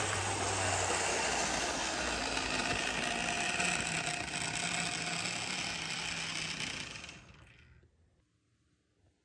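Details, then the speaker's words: Older Bachmann GP40 model locomotive in CP Rail livery, running around a track loop; constant high-pitched whir and buzz, much louder than the motor should be, excessive motor noise. "that's not as quiet as it should be especially with all that Loop"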